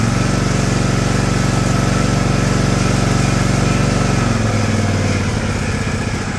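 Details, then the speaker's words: John Deere LX178 mower after carburetor replacement (previously very rich, leaking gas), idle speed screw adjusted down to stop: steady even low idle, smooth firing beat, no misses, settling a little quieter; healthy. "is that the smoothest quietest running Small Engine you've ever heard in your life"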